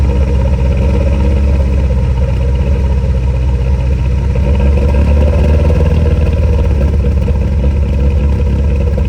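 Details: VW TDI diesel that idles fine but dumps fuel above about 2,000 rpm, held at high revs: rough, uneven low rumble with irregular thumps and backfire; cause unclear despite many parts changed.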